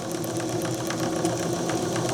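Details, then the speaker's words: Old JMC 3 cc live steam engine in RC steamboat at about 2 bar, running very slowly: soft regular chuffs over a gentle hum, no knock, runs perfectly in both directions after reversing. "La machine tourne tout doucement. Je reverse. Hop. Elle marche parfaitement dans les 2 sens."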